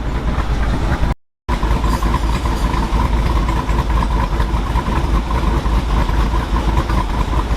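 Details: 2022 Jeep Wrangler Rubicon 392 V8, 2,000 miles, aftermarket cam, ported and polished big-valve heads, on dyno in 2WD with front driveshaft removed, heard from rear: deep heavy steady idle with loping beat; healthy cammed idle.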